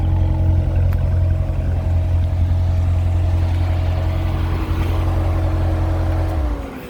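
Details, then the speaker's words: 2014 Corvette Stingray, 51,000 km, pre-purchase inspection, hood open, engine running through diagnostics with cooling fans on: steady deep V8 hum with constant fan whir until shutdown, no issues found; normal running. "going to the hood we'll see fans are on had it running while i was doing diagnostics [Music] no issues"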